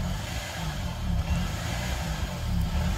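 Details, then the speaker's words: 2005 Honda Accord that sat for a few years, started with a jump box; codes P0135 and P0141 and an idle air control fault are read. A raised, fairly even idle with slight surging: high idle from idle air control fault. "and then an idle air control system the RPM's higher that's what you're hearing that revving"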